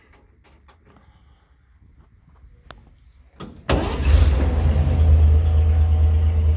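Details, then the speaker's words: 1946 Chevy farm truck with an updated 235 inline six (replacing the 216), about 107,000 miles suspected (odometer shows 7,500): starts at once and settles into a deep, steady, even idle with good oil pressure; runs really nice. "and runs really nice. Sounds good. Carries good oil pressure."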